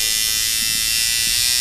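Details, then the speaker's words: Sidewinder V3 rotary tattoo machine set to hit hard with a longer throw: high buzzy hum with an uneven, choppy low-end rhythm at about 6 volts; more voltage smooths it out. "now for like you really want the machine to hit hard and it sounds choppy at on the lower volts like 6"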